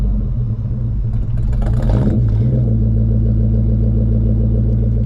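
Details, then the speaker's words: Red Ford Mustang V8 at idle: the idle dips and sags as a rush of radiator fan noise comes in. Owner suspects a broken fan resistor, so at operating temperature the fan skips low speed and goes straight to high. Planned fix is replacing the resistor. "that resistor actually breaks and the fan is off it gets up to operating temperature it should kick the low speed fan on but it's just going straight to high"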